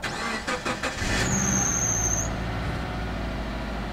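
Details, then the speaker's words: 2005 Subaru Forester XT after servicing the variable valve timing solenoid for code P0011, first start after sitting several days: quick cranking, catches, brief flare, smooth even idle with no knocks or rattles; healthy. "been a while it's been sitting here for a few days so so far everything feels good"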